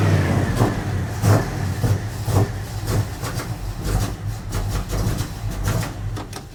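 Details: 1980 Dodge W200, Magnum 5.9L V8 with Holley 600 cfm 4-barrel, cold, choke wired open: lumpy, uneven running with heavy pulses about once a second, stumbling on revs; super rich from wrong jetting and 9.5 power valve.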